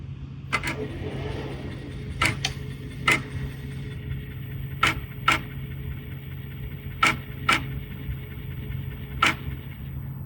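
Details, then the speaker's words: 1988 Akai MPC60 drum machine/sampler probably from damp storage, restored: after odd LCD pattern and sitting a couple of hours, powers up with low hum and sharp irregular clicks as floppy drive head seeks; normal startup, screen lights. "I cannot tell you how happy I was to see that screen light up. And hear that floppy drive start? Oh, that was amazing."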